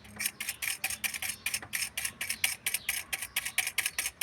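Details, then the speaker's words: Ford Fiesta 1.0 Zetec Rocam with lower-engine noise, clutch disc worn to near rivets: hydraulic actuator release bearing turned by hand gives about four dry gritty ticks a second; bearing worn, replace during clutch job. "Também já tá apresentando barulho, tá? Esse aqui é o atuador hidráulico."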